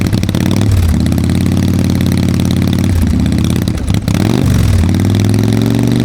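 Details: Harley-Davidson Fat Boy Evo 1340 V-twin after winter storage, carburetor cleaned and jump-started: catches after long cranking and possible flooding, revs a couple of times, then settles into a steady, uneven loping potato-potato idle; healthy.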